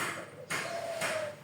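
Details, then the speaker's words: Yamaha Mio engine removed: three sharp metallic ticks as the connecting rod is rocked in and out by hand; worn big-end bearing with excess play beyond normal clearance. "Ini ada suara tek tek tek. Ini kocak, jadi kocaknya bukan seperti ini sobat."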